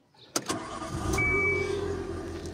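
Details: Nissan March K12 after fuel pump replacement (old pump gave only 1 bar of the required 3.5 bar, causing no-start and stalling): short crank, catches at once and settles into a smooth, steady idle.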